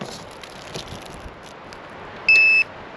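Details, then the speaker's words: Electronic deadbolt keypad lock fitted to an old bus door, before a hack to silence its alerts: one short high-pitched beep about a third of a second long, the normal confirmation tone it gives on lock, unlock and touch. "Now, not only does it beep every time you lock it and unlock it, it beeps on touch."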